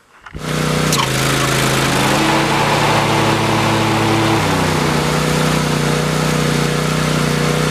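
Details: Husqvarna MZ6128 zero-turn mower after a new deck belt was fitted: fires up and settles into a steady, even engine drone with the deck drive running smoothly, no slap or squeal; belt sounds fine, normal running.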